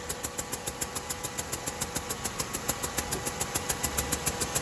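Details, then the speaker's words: 2007 Buick Rendezvous with the GM 3.5 engine, started up: sharp, regular ticking about 3.5 per second that the owner first thought was an exhaust leak, from a blown head gasket, with no overheating. "hopefully you guys heard that it sounded like an exhaust leak that's what the person the owner of the vehicle thought it was at first"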